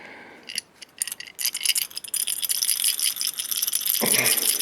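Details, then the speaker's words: 1986 Jeep XJ 2.5L with massive clutch chatter: the removed all-metal throwout bearing spun by hand gives a dry, gritty metallic rattle; heat-blued, distorted and broken, with destroyed spring clips, the main culprit. "Hey, that doesn't sound right. So this was the main culprit."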